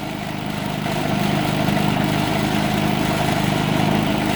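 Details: Predator 3500 generator with 131 hours, warm, after cleaning the idle jet and adjusting idle to fix surging and stalling. Steady, even no-load hum with no hunting or surging: running smoothly.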